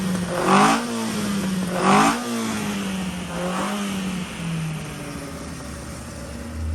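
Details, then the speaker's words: Ian Carter special Carter998 engine on dyno, carb just set up, 80 psi oil pressure, distributor untouched: sharp revs drop back to an uneven hunting idle that never settles; timing light shows 55° advance at idle, over-advanced ignition timing. "I thought I'd better just throw the timing light on and see how much advance is in it, because it was a bit lumpy and it had 55 degrees of advance at idle."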